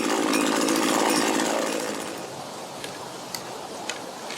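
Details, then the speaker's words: Mac GHT 17 hedge trimmer two-stroke after new fuel lines and carb rebuild: crisp even buzz about two seconds then winding cleanly to a stop; runs really good, needs no carb adjustment. "All right, that's it. It's done. Runs really good. Doesn't even need adjustment."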